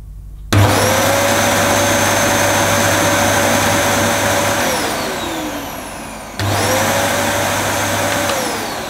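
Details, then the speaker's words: Used Dyson DC11 canister vacuum, first switch-on with the cyclone removed; motor spins up quickly to a smooth steady whine, runs even and winds down cleanly twice, quiet and sounding okay. "now for dyson that sounds pretty quiet um yeah that does sound uh quiet i think it sounds okay"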